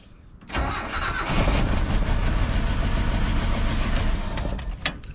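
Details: Mitsubishi L200 with 4G54 engine after EFI conversion, fuel pump test wire disconnected: brief crank, then catches cleanly and settles into a steady, even run with no misses or knocks; healthy start.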